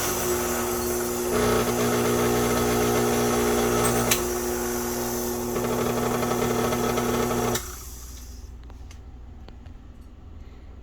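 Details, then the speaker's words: 40-year-old vintage Hobart-made KitchenAid stand mixer, cleaned and working: motor hums with a steady tone and a rhythmic pulsing about four beats a second, then stops; unusual motor noise of unknown cause. "all right so i bought this 40 year old vintage kitchenaid made by hobart it still works but it's making an interesting sound and i don't know what it is"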